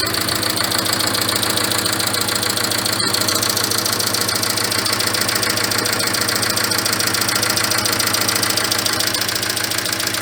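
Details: Mitsubishi Carisma GDI petrol engine idles with a busy metallic clatter and light knocking. The suggested fix is changing the engine oil to 10W-40 and adding Ceramizer.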